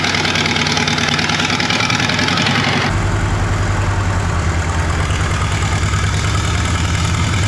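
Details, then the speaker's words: 1939 Caterpillar D4 (RD4 4G9986) diesel, first start after rebuild, pony-motor started, near a mile altitude: heavy clatter settling into lumpy, skipping idle; engine has a miss, fuel leaks still to fix. "it moved it runs it moves it's got a Miss in the engine I I know we got some work to do we have some fuel leaks to iron out"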